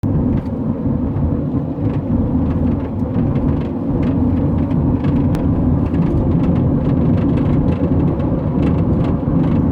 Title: 2006 Honda Odyssey clunking noise at highway speed. Does anyone know what the fix is?